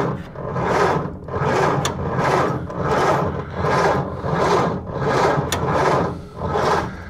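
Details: 1930 Ford Model A Deluxe Coupe, last registered 1980, first start attempt after long storage: slow, even cranking with no firing. Owner suspects a flaky ignition switch, not confirmed; cranks but won't start.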